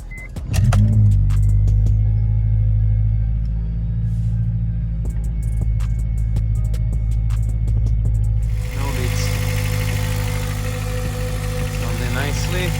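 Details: Honda Civic Type R EP3 K20A after IAAV delete (K-Tuned kit) to cure fluctuating idle that IACV cleaning failed to fix: catches first crank, settles into smooth even idle, steady low hum, no hunting; idle issue fixed.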